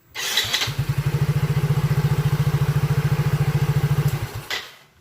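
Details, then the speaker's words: Soul GT (old model), electric starter tested after repairing a wiring fault that had killed the starter, turn signals and horn together: quick even cranking for about three and a half seconds, starting circuit working again. "lalu kita starter kicauan motornya sudah hidup sudah normal sudah beres"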